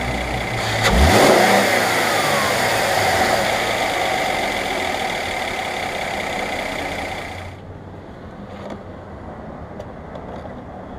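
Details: 2012 Mercedes-Benz E350 BlueEfficiency after idler pulley replacement: engine catches, revs once and runs evenly with no whine, then shuts off to quiet clicks.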